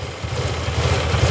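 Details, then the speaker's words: Yamaha TMAX scooter, warmed up after coolant bleeding and idle screw adjustment: steady, even low putter at idle with the earlier ticking gone. Normal, healthy idle. "So this is a perfect idle for the bike. Sounds really good. The ticking is gone."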